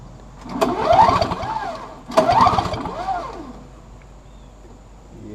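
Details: Free trash-picked Snapper 17 LE two-stroke snow blower with weak spark: two quick recoil pulls spin the engine freely with a rising, falling whir but it never catches; cranks, no start, cause not confirmed.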